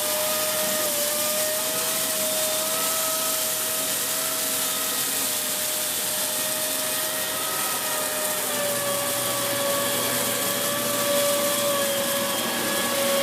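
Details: Dyson Big Ball Animal CY23 cylinder vacuum after three months of use: steady high whistle/squeal over the motor roar, holding pitch, from air leaking at the hose-to-wand joint.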